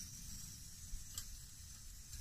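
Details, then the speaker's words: MSR WhisperLite Internationale 600 stove just shut off at the dial: soft steady hiss with faint crackle and sizzle as leftover fuel burns out of the lines; normal burn-off. "shuts it off there it is and you can start to hear the hissing and the burning is a fuels burned out of the lines"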